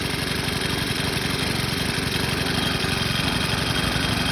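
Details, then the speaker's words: Craftsman 29cc 4-cycle wheeled edger, possibly a rebranded Troy-Bilt TBE304, runs steady and even with no misses or surging after a new fuel return line, a tank clean-out of what looked like 2-cycle mix, an oil change and fresh gas. "Apparently all I needed was some fuel lines and tank clean out and stuff, and some good fuel."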